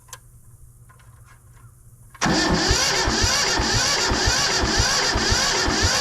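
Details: Two-wheel-drive Yanmar 1500 diesel tractor, reported not to run: steady rhythmic cranking at about 170 compression strokes a minute with no firing, while injector lines are checked for pressure; cause not yet confirmed.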